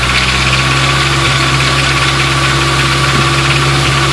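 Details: 1989 Nissan 240SX, fine at idle, rattle above 2500 rpm: loose uneven metallic rattle apparently from front cover; owner suspects bad timing chain tensioner or internals, not confirmed.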